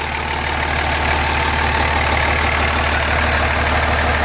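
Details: 2005 common-rail Cummins diesel in a 2008 Ford F-350 dually, idling to warm toward 180°F oil temp: steady even clatter, deep unchanging rumble, no misses or knocks, no smoke; runs better than in the Dodge.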